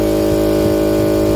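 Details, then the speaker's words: Husky 3.5 HP air compressor after repair of a motor that hummed but would not start: steady, clean electric motor hum, running smoothly without buzzing or stalling before cutting off; no strange sounds, normal again. "listo no hay sonidos extraños todo está normal de nuevo"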